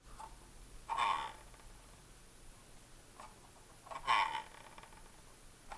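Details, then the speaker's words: Logitech MX Master 3 electromagnetic scroll wheel, about a month old, mouse switched off: two short gritty scraping/ratcheting bursts when scrolling right side up, quiet upside down; abnormal grinding, cause uncertain. "is that a normal sound for the mx master 3 if you guys are watching this video and you also have the mx master 3 please leave a comment below if your sound like that"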